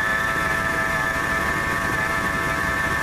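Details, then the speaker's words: 1997 Ford F150, warm idle (not a cold start), constant high-pitched whine from the accessory drive; laser thermometer shows the idler pulley hottest at 132 versus about 100 elsewhere, so its bearing is the suspected source. "look like the idler pulley with running the hottest out of everything so I would say that's probably the bearing on the that's going bad that's what's mine kind of narrow down my search as to what's making the noise"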